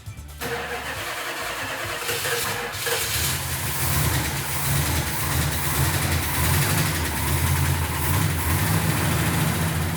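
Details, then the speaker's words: 1970 Plymouth Superbird, first fire-up on fresh 98-octane fuel after the firing order was double-checked: it cranks briefly, catches cleanly and settles into a steady, even V8 idle with no misses or knocks, so quiet it couldn't be heard from the next room; normal start and idle. "when mark got it started it sounded really nice i couldn't even hear it i was in the other room i couldn't hear it when it started"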